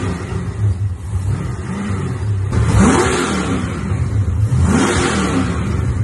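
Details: First start of an LS1 V8 in an XG ute, with a better carby and a custom full exhaust without a further muffler; deep even burble at idle, then two clean blips rising and falling smoothly, no misses or knocks; normal idle and revving.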